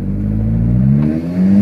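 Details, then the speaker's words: Audi R8 on road test after installing new coil packs and NGK Laser spark plugs (old plugs about 40,000 miles): engine note climbs smoothly and evenly under acceleration with no stumble, popping or missed beats; healthy. "Woo, smooth! The road wasn't smooth, but my car was smooth."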